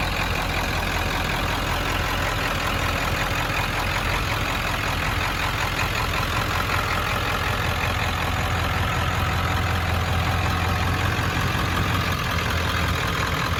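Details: 1995 Ford F-350 dually, 7.3 Powerstroke diesel, five-speed manual, about 121k miles, serviced: deep even diesel rumble at steady idle, no knocks, misses or surging; normal healthy idle.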